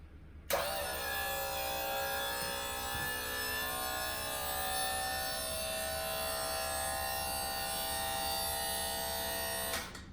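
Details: Pop-Up scissor lift bought at auction, testing before fitting new control box: electric pump motor starts cleanly with even hum and steady whine, running normally while raising; down timer and safety delay work.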